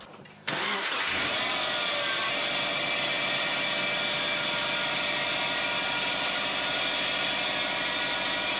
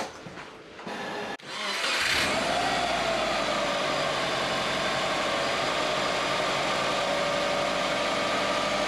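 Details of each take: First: Subaru whose belt squeal rises with revs, is unchanged with steering or clutch, and quietens once warm: after starting, a loud, steady high squeal and chirp sits over the idle, most likely from the adjuster (idler) pulley. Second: Subaru squeaky drive belt (squeal rose with revs, not power steering, unaffected by clutch, quieter when warm) after re-tensioning via adjusting bolt: starts and settles to a steady idle with only a faint thin tone left; belt sounds better, AC pulley bearing still suspected.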